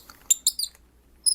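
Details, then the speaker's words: FiFine Ampligame USB microphone: short, high, chirpy squeaks as the brass thread is screwed onto the plastic mount; dry brass-on-plastic thread that needs synthetic grease. "now one thing i want to make mention since this is brass in here and this is plastic every now and then when you attach this watch your problem won't do it now you hear that squeaks"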